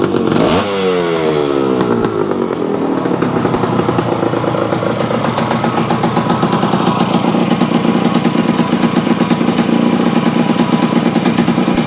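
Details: Yamaha AT-1 converted to CT-1 two-stroke, first start after rebuild with wiring mostly done, oil pump primed, carburetor problems fixed, on choke, running pre-mix plus oil pump: crisp start, rising ring-ding rev settling to steady even buzz; runs normally, sounds reasonable.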